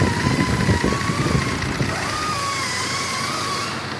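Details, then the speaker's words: 2004 Cadillac SRX 3.6 after 20–25 minutes driving: smooth steady idle, even low hum with faint whine, no stumbles, check engine light off; intermittent injector 1 misfire suspected loose connector, currently not recurring; normal idle. "Este carro ya lo manejé por unos 20-25 minutos. Sigue trabajando bien, sin temblar."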